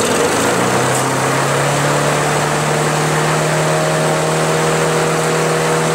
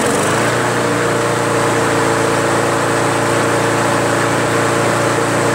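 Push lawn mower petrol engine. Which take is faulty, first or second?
first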